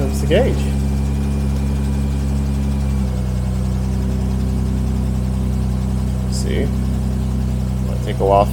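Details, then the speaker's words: 1970 Jaguar E-Type Series 2 six-cylinder, cold start after sitting a couple days, on choke, oil pressure gauge climbing to just above 40; smooth, deep, even idle with one clean step down after three seconds as it settles; healthy cold idle. "we'll see how it starts from cold as well it's been sitting a couple days"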